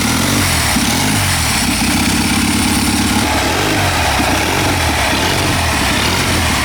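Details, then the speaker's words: Military surplus 2A016 twin-cylinder generator engine, turbocharged, in a BSA 4-speed mini bike: loud steady beat holding an even rhythm, no misses or knocks; runs healthy, slight oil-system leak noted. "it sounds great got a little bit of leak on the oiling system that'll be all right"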